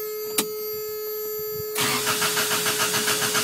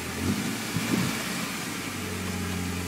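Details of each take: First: Toyota after cleaning idle air control valve in throttle body with throttle body cleaner and compressed air: starter churns about three to four beats a second for nearly three seconds without catching, rough at first, some smoke, then runs good; hard cranking start after cleaning. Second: Toyota engine after cleaning the idle air control valve inside the throttle body; it had started roughly with smoke before. Now an even, steady idle with a soft low rumble and no misses or stumbles.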